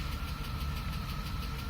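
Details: 2004 Chrysler Crossfire (SLK 320 V6) idling after hard driving, quick even ticking over engine hum from a bad exhaust lifter, first cylinder driver's side; alternator bearing noise also present.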